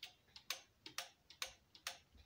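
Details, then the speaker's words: Aged stereo amplifier's speaker protection relays, heard while turning the speaker A/B selector knob: crisp clicks about every half second, equally loud on channels A and B. Both relays are switching normally; a worn relay would click much quieter. "as you can hear the relays are making quite a loud noise when we are selecting the channel we like to listen and right now these clicks sound the same so Channel A and B are having same click"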